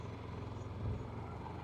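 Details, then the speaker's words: Yamaha EF6300iSED carbureted generator with 1000 W load on 32 oz of fuel after draining: steady low drone swells then settles, surging at 45 minutes as the carburetor runs out of fuel; shuts off at 46:45. "at 45 minutes the Yamaha is surging at 45 minutes guys something's happening still putting out power they're both surging they're both surging"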